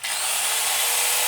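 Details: Hikoki/Hitachi-type angle grinder tested after repair of a fault where it growled then stopped: a steady, smooth high-pitched motor whirr with no growl and no sparking at the brushes; it runs clean.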